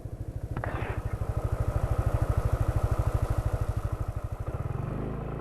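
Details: 2018 Yamaha NMAX scooter after 2000 km, on 10W-40 oil; the owner links rough engine sound to oil needing a change. Even, steady low putter at about three beats a second with no knocks, a smooth healthy engine.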